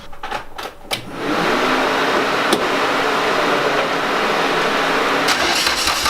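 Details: Turbocharged car started with an open downpipe, after work around the connectors: engine catches, then a raspy open-pipe idle with an uneven, loping beat; misfire, possibly a loosened connector suspected.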